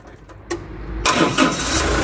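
Short bursts of cranking that only just catch into a ragged, uneven run, an engine that is reluctant to start.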